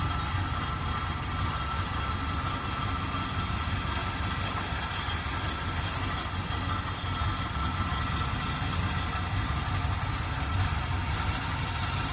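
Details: 1978 Chevrolet Custom Deluxe truck, engine freed from being stuck after sitting for years, carburetor had water in bowl: low lumpy, wavering idle pulse that never settles; not idling great, cause unconfirmed. Rough idle.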